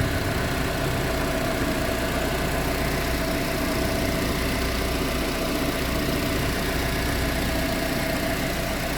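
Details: Proton Exora CPS engine at idle: a busy, fine rattle over the engine note throughout, like something loose. Source not pinned down.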